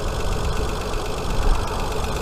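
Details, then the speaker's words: Hyundai Sonata 2.7 V6 just after cambelt and water pump change, cover not yet refitted: steady low rumble with an even beat, no ticks or slapping; idles smooth and healthy. "But yeah, I'm all chuffed. She's started up, she's running all okay. Job's a good one."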